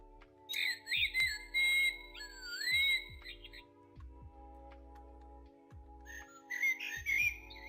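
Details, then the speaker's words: Clock with batteries put back in after having an issue: ticking heard, then clear chirping bird calls in bursts; the bird chime sounds are working again. "Now it's working. We've got all of the bird sounds."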